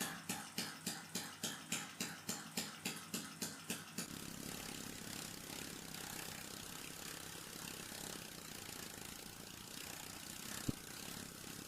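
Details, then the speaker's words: Small air engine driven by pressure from a water tank in the attic, remounted on a solid stand with piston play shimmed out. It started smoothly, tank pressure stabilised at 0.45 bar within about 50 seconds, and it ran with even puffing settling into a smooth steady rush, no rattle. "Le moteur a démarré en douceur et il a fallu environ 50 secondes pour stabiliser la pression du réservoir à 0,45 bar."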